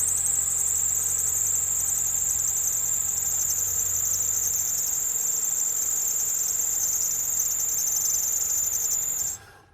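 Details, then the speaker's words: 2010 Kia Soul at idle after start-up: piercing steady high-pitched squeal from a loose belt, which sometimes continues for miles while driving; power steering also stiff when turning; cuts off when engine stops. "So you heard how long that noise lasts. Sometimes when I'm driving, that same noise just keep going for a couple of miles."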